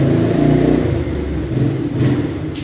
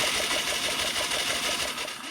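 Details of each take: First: 1989 Yamaha Moto4 200cc quad after new timing chain, refitted with old carburetor and old throttle cable: steady thump, revs rise cleanly with throttle and settle back evenly, no misses or knocks; runs fine. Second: 1989 Yamaha Moto4 200cc quad, no-start with good spark: fast, light, even cranking that never catches; compression gauge shows only 50 psi (needs 100-120), traced to broken timing chain tensioner and worn timing chain.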